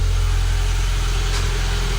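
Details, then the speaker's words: Citroen ZX Avantage 1.4i TU3 petrol, just started for the first time in about six months: smooth, even low hum at idle, no knocks, misses or surging, no warning lights, no smoke; normal idle. "No warning lights. You think that had just been started yesterday? Happy days."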